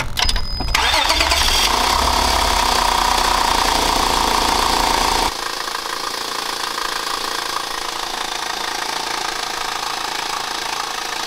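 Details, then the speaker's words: Honda Accord with a broken timing belt, not an engine fault: cold start settling to idle with a loud, fairly regular knock about three per second from the belt end under the hood. "it turns out it was a timing belt so i'm super excited that it was just something as simple as that and nothing to do with the motor"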